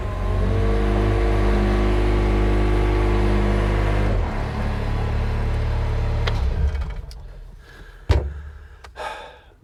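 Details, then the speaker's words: Mustang machine's diesel engine after the seatbelt micro safety switch was bypassed (seatbelt refitted but unplugged): steady, even idle with a regular low beat for four seconds, then the note drops away. Not a perfect fix, but it works. Normal running. "perfect fix but it works and the safety features are still mostly here"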